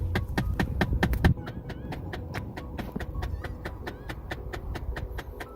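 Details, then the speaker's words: Ford Fiesta HVAC air distribution mode actuator: rapid steady clicking behind the dash when changing defrost, vent or floor mode, from worn internal actuator gears skipping teeth; fix is actuator replacement. "Hello guys, I'm Bri. I'm here with another actuator problem. You can hear the clicking noise"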